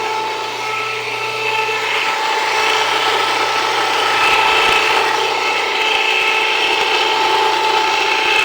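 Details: Jiffy Precision Mill, US-made electric steel burr grain grinder, grinding grain at a slightly backed-off setting; constant grinding whir with faint motor hum, speed holding steady under load; mill warm but not hot after; normal grinding.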